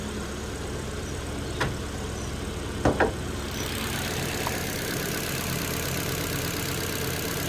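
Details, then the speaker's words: Ford Fiesta Zetec, manual, 47k miles, no service history, rear-end damaged: starts fine and idles smoothly and evenly with no knocks or ticks; normal idle, though the exhaust seems to blow slightly, possibly the rear box. "Well, she starts up fine. There's no excess noises from the engine."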